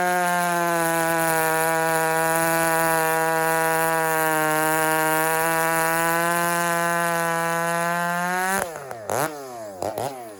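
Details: Husky 394 chainsaw held flat out at wide-open throttle, then cut. A steady high buzzing note; a healthy saw tuned slightly rich.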